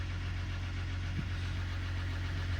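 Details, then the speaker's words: Dodge 1500 diesel pickup listed with mechanical damage, at auction: started right up, steady low diesel idle rumble with one faint blip, slight whine noted, no knocking; oil pressure good, sounds normal. "started right up I don't really know how these are supposed to sound to me that sounds like a diesel normal diesel"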